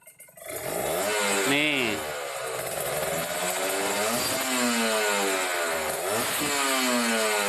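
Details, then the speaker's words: Kawasaki Ninja RR two-stroke, Mikuni 28 carburetor air screw at 2.5 turns: engine blips and drops back to an even mid idle without hunting; mixture set correctly. "Nah ini rpm nya udah tengah gitu enggak berobat berarti itu menandakan bahwa si settingannya udah pas ya"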